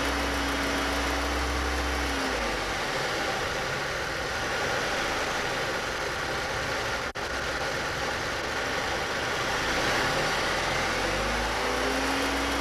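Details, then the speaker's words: 2000 Chevy Cavalier 2.2L, over 143,000 miles, revved from idle inside the car: light ticking begins around 2,000 rpm, absent at idle, seemingly from the lower side of the engine; cause unknown. "now this noise occurs at about 2,000 rpm whatever you're driving whenever you get the car first up to 2,000 it starts making a ticking noise so what I'll do is I'll go inside the car and rev it up"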